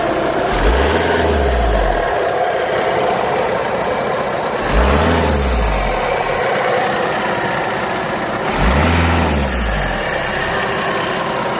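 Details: VW Golf 6 2.0 TDI diesel, three rev blips: a whistling, scraping note rises and falls with throttle. It also smokes white-grey on acceleration, power varies and the engine shakes at idle; grinding whistle of unconfirmed cause.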